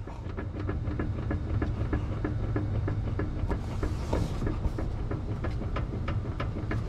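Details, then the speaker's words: BMW E90/E92 on a hoist, engine idling, steering wheel rocked: sharp regular clicks about three times a second, knock felt at the right tie rod, louder when tie rod pushed up; suspected loose steering rack thrust piece (yoke). "and if i apply tension to the tire rod and sort of push the tie rod up the noise gets louder so i'm thinking it's the thrust bush"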